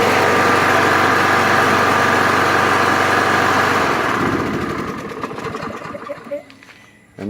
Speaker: It's definitely a good running mower, and so that's another reason why I'm hanging on to it.